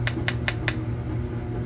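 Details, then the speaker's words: Knuckle-rap test on a boiler expansion tank, checked after a grunting, water-hammer-like noise a couple hours after heat was turned on: four quick raps sound dead and solid with no ring; bad, waterlogged tank. "Here's a bad tank. You want to go in the bottom part and the top part. Whichever way it is, doesn't matter. Sounds kind of solid."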